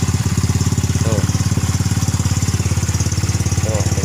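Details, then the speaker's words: Yamaha Mio M3 scooter after repair (new camshaft, rocker arms and valve seals): steady even idle, no knocking, only intake filter and loud oversized open-exhaust putter. "suara juga udah nggak kayak tadi ya Tadi suaranya nggak karuan ya sekarang alhamdulillah ya udah bersih suaranya cuman suara filter aja ya teman-teman sama knalpotnya"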